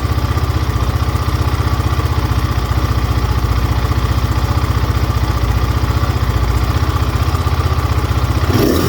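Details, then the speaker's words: GPX Moto FSE 250E single-cylinder dirt bike during pilot jet rejetting, adjusting air screw: thump roughly 230 a minute with uneven choppy idle cadence; rough idle, carb mixture still needs fine tuning. "So at this point, when it's just still kind of a little choppy, I try to go 8 to a quarter turns on the air screw to see if I can smooth it out."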